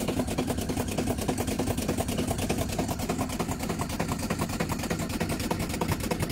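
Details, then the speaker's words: Aged LG 8.5 kg top-loading washing machine on spin: a harsh, rapid grinding rumble about three times a second, like a rice mill, with excessive wobble; the drum's spider arm has broken and the tub runs loose. "tadi sumber permasalahan dari mesin cuci uploading LG yang mengalami berisiknya saat Spin seperti ini sangat bisik"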